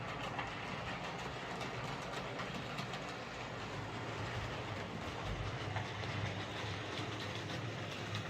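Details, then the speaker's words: Hornby 08 shunter running on the layout after repair: motor cleaned and lubricated, and coupling rods bent to clear the brakes they had been catching. Soft, even motor hum and steady rolling with no rhythmic clicking; clicking fixed, running normally. "so there we go that's as we class await shunter running fine now"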